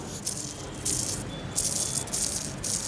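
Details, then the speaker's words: Skoda Octavia, engine off, timing kit removed: hand-spun timing belt tensioner bearing gives dry, gritty rattling bursts, worn bearing. "ये देखो ये एक bearing में आवाज आ रही है।"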